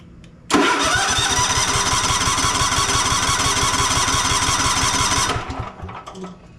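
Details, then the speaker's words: Cub Cadet Enduro XT2 SLX50 riding mower with 679cc MTD EFI fuel-injected engine (9Q78HUA), intermittent starting and stalling, no choke, throttle set high: steady starter cranking about three strokes a second for five seconds, no firing; cranks but will not start. "not wanting to start I've got it all the way high I'm going to go down just a little bit"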